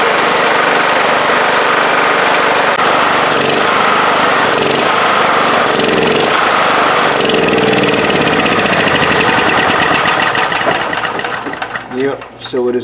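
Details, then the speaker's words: 1997 Honda EB5000 generator, no-start, fitted with cheap non-OEM carburetor: loud uneven lumpy running that won't run wide open, then sags and dies; owner suspects the new carb's gasket and plans to swap back the original. "running right it won't run wide open so maybe that gasket uh is an issue"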